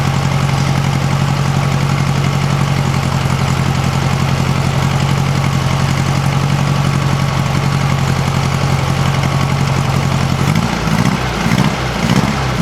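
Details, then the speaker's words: 1956 VW Beetle flat-four on a swapped-in Solex 34 PICT 3 carburetor, warming up from cold: a quiet, even low rumble at idle with no ticking or puffing. It sounds healthy, though it still needs some adjustments. "exactly healthy I don't think it's gonna blow up anytime soon"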